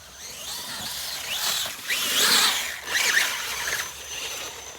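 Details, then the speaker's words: Axial Capra RC crawler under load: thin gritty whirring and squealing surges in bursts from the drivetrain; owner blames weak axles that don't hold up, cause not confirmed. "these axles they just don't like to hold up though that was a nice little hop wasn't it I'm trying to save the axles these are not RI oh you hear that crap oh horrible"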